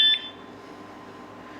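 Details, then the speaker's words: Jeep anti-theft vibration alarm, armed via lock button, touched: brief high double chirp as the first warning before the full loud siren. "I feel like that was like the warning did you hear that like that first like was kind of like uh-uh like here all right I'll lock"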